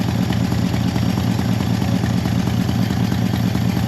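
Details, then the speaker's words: C30 V8 idling with no choke: steady, even low rumble, no misses or hunting; finding: normal idle. "idling no choke let's see if it'll rev I haven't that yet"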